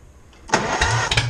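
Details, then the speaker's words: John Deere 430 garden tractor first general service, started on choke with new spark plug wires: short crank, then it catches and settles into a strong steady run, a bit loud but even with no misfires; running flawlessly. "as you guys can see she's a little on the loud side but runs flawlessly my wires are good so that's awesome"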